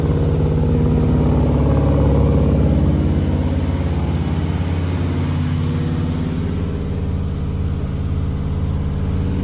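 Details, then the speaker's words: Ford 292 C2AE Y-block V8 after an in-car camshaft install, held at 2,000 rpm right after a slight distributor turn: smooth, even, firm low rumble with no knocks, ticks or misses; oil pressure good, running normally. "All right, had to turn the distributor just a tick, and boy, that made a big difference. So right there on it, we're at $2,000."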